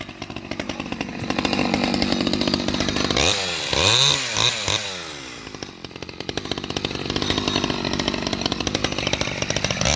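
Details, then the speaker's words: Vintage STIHL 011 AV mini chainsaw, restored, with chain brake, cutting trees: sharp two-stroke buzz bogs smoothly into the cut and recovers cleanly, revs rising and falling evenly; healthy saw cutting normally under load. "so yeah she's a little beast let's fire it up and i'll go cut some trees"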